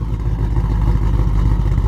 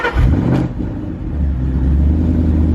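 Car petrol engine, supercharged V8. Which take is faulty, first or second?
first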